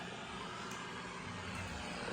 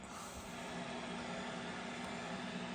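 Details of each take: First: BC-348-Q receiver with its BFO centered for CW/SSB, a 5-20pF capacitor on the BFO coil: steady, even hiss across the band with no signal. The receiver works but its hiss is unexplained; more BFO injection may be needed. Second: BC-348-Q receiver running with its BFO centered for CW and SSB (USB/LSB) reception, a 5-20pF capacitor fitted on the BFO coil against drift: even rushing static with a steady low beat tone. It works, though it is oddly hissy and may need more BFO injection.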